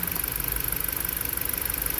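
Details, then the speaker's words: Car running rough after a newly installed PCM: petrol engine idling with a rough, pulsing misfire; unplugging cylinder one's ignition changes nothing, so its coil or spark plug is suspected. "so my problem the car still missing is it's missing the same with one plugged in or not i could have a problem with the coil or the spark plug"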